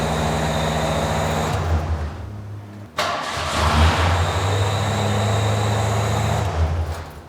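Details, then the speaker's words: 1986 Ford F-150 that had no spark, just fitted with an MSD distributor, coil and wires. It catches on the second try after a brief crank, stumbles once, then settles into a steady, even low rumble; normal start and idle. "all right two times the charm all right starts up great"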